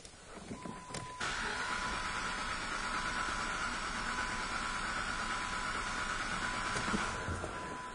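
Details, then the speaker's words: 2007 Jeep Commander with an undiagnosed misfire, cranked for a relative compression test using battery voltage and a high-current amp clamp: steady starter whir with an even rhythm about three beats a second and no gaps; compression normal and balanced. "right you know again as you hear it does not sound like there is a compression loss in this engine that sounded totally normal to me"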